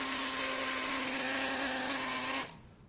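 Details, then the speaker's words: Electrolux 12 kg washing machine during spin: loud, harsh buzzing whine over a steady low hum that cuts off abruptly, from a failing drain pump; replacing the pump fixes it. "E isso daí é eletrobomba, tá? Trocando eletrobomba aí resolve o problema."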